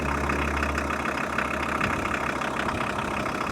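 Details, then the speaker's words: 1997 VW T4 Caravelle diesel campervan, converted to manual, started after about 19 months standing, owner suspects starter cable issue: steady idle with an even chug and clattery top end, no misses or knocks; not sounding unhealthy. "But right now we are definitely up and running, as you can hear. And in fact, the van doesn't even sound unhealthy, or not particularly unhealthy."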